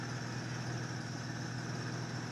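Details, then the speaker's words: 2008 Acura TL 3.5 V6, 143,000 miles, driven hard, after misfire repair: smooth steady idle with even low hum, no stumble or miss; running cleanly. "She's running good. Okay, I think we got her."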